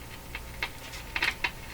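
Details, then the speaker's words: Philips Model 922 tube radio gives irregular sharp crackles and pops over a faint low hum from the speaker, heard while investigating a positive grid bias on the 50C5 output tube. "oh that doesn't sound good at all that that that does not sound good"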